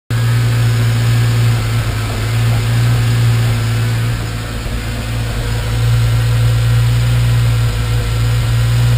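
Steady idle hum with an uneven, lumpy beat that stumbles now and then; random misfire, cause not yet pinned down. Cause suspected, not confirmed.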